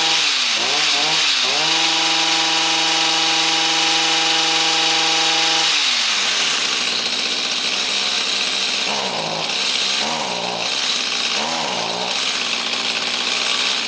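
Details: Stihl hedge trimmer (small two-stroke) with an aftermarket HIPA carburetor replacing an unsuccessfully rebuilt one, new fuel, choke off, locked on high: steady high buzz that sags and surges repeatedly. It is hesitating and running lean, so the mixture adjustment needs opening.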